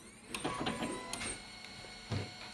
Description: The cause of the printer making a high noise is the wear of the gears of the oven, we replace the worn gears with a new one and the fault is resolved.